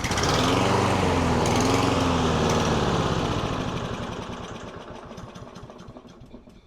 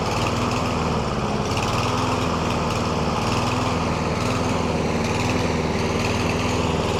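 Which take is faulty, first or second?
first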